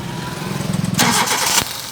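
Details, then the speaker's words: Hyundai i10 that would not start (no spark or pulse at the plugs) after the crankshaft position sensor was dealt with and timing cover work: starter churns briefly, then the engine catches and starts readily; crank sensor was the fault. "तो फ्रेंड्स, आप देख सकते हैं स्पार्किंग, इसमें करंट आ चुका है, गाड़ी हमारी स्टार्ट हो चुकी है।"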